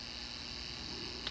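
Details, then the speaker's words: N scale Bachmann 4-4-0 locomotive under repair, glued-in motor bench-tested on lowest power pack setting via two wires: faint steady high-pitched whine, no ticking or catching; motor spins freely and sounds right. "This is the lowest setting on my power pack. Sounds like what it's supposed to sound like."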